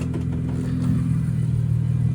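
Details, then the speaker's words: Infiniti Q60 Red Sport idling, hood open. A steady low idle carries a light, fast tick on top, which is the injectors. The owner says every Q60 he has heard sounds the same, so this is normal injector ticking and the engine sounds healthy. "It looks very good, and the sound is normal. This is what a normal Infiniti sounds like. Those are the injectors. Everyone I've heard, they all sound like the same."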